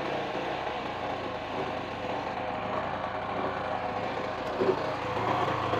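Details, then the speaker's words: Sumura ET2500C generator, engine not yet warm, being repaired for no 220V output: continuous busy engine hum with slight speed hunting while warming; running normally, expected to stabilise once hot. "Oke. Kalau udah panas nanti stabil suaranya teman-teman."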